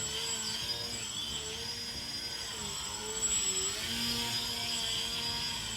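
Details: RC 3D airplane brushless motor after the broken red motor wire was rejoined, under throttle test: smooth high whine holding steady with only slight pitch drift and no stutter. The motor now runs normally.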